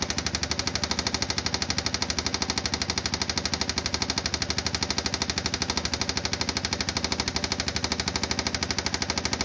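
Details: 2016 Yamaha Viking EPS: loud, sharp, evenly spaced engine knock, steady at constant speed; cause unknown.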